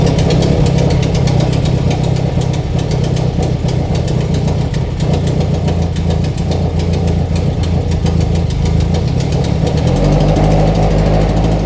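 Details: FRS/BRZ/86 after installing Deatschwerks 900cc injectors and fuel pump idles with a deep, steady, even low rumble. There are no misses or hunting throughout; normal idle.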